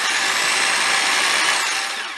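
Smooth, high-pitched motor whir holding a steady speed then spinning down cleanly, no rattle or grind; drill runs healthy.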